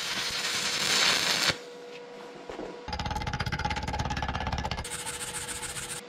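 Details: Vevor MIG-250 in stick (electrode) mode at 125 A: a crackling, sizzling arc with a fast pulsing buzz, running a touch hot; a bit too much current, though it was the welder's best stick bead.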